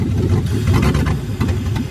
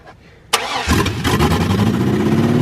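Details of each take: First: 1979 Ford F100 with LS V8 swap, first start after finding a large vacuum leak: settles into a strong, fairly even idle with deep steady rumble, no stumbling; sounds healthy. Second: 1979 Ford F100 with LS V8 swap, first start on fuel: cranks, catches and settles into a lumpy, uneven, stumbling idle; rough running from a large vacuum leak, runs better when finger covers it.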